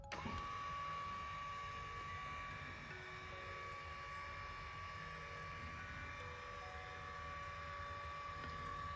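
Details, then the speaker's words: Lourdes massage cushion L (AX-HL168) after repair: quiet even hum, faint steady tone, no knocking or rattling; the worn lifting, resonating roller was fixed by adjusting the roller shaft angle to fill the gap, grease having made no difference. "ここを押さえることによってこのローラーが浮いたんでしょうね。浮いて響いて音が出たという。治りました。"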